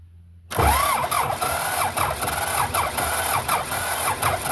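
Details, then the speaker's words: Belarus 250 tractor, two-cylinder air-cooled diesel that sat for years and not started in days, throttle forward then eased back: the starter whirs in repeated rising pulses but the engine never catches; cranks with no start, so ether is next. "now it ain't like it's wanting to do nothing give it a shot of ether and see what happens"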